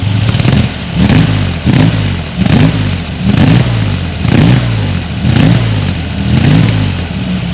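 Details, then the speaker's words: Flooded Corvair, after custom fuel injection with new stainless/PTFE braided fuel lines: low steady idle broken by eight quick crisp throttle blips that rise and drop back cleanly; snappy, healthy throttle response, though throttle linkage still unfinished. "it is Snappy I mean that throttle just bam pops right off and sounds really good"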